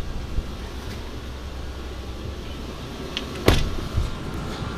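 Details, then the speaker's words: 2004 Lexus GX470 after replacing leaking driver rear air spring; steady low electric hum with faint whir and one clunk as air suspension compressor runs, raising truck to normal height. Normal operation. "so hopefully you guys can hear this you can hear the compressor here take and the airbags coming up"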